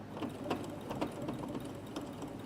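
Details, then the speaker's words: Sewing machine stitching sequin fabric with a standard needle: light, even needle ticks about four per second over a quiet motor hum, no banging, since the needle pushes the sequins aside; stitching normally. "see it's not noisy so it does it does actually move them out of the way rather than the needle going through them so you don't need a different needle"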